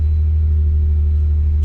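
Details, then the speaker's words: Nissan 350Z after replacing a starter that would not engage; the engine now starts. Steady, even low hum with no knocks, misses or hunting, and a little rain hiss late on: normal, healthy idle. "we're back in business she's running she started we're good"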